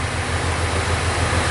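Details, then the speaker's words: 2000 Jeep Cherokee Classic, 4.0L inline six, about 130,000 miles, codes P0300/P0306, idling: steady uneven low pulse with a regular stumble; single cylinder misfire traced to cylinder six at the rear, single coil-pack ignition. "looks to me like that problem is definitely coming from the number six cylinder it's the inline six so it's going to be the cylinder in the very rear here"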